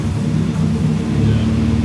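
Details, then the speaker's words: Nissan 240SX S13 after new cylinder 4 injector, plugs, wires, distributor cap, rotor and fuel filter, ECU fault found, old bad-looking fuel, very smoky: low, lumpy idle with occasional stumbles; cylinder 4 now fires, slight misfire remains somewhere. "Yeah, it does still have a It still had a slight misfire. 100% the ECU had an issue. The cylinder 4 is firing now. You can hear it. There is a slight misfire somewhere."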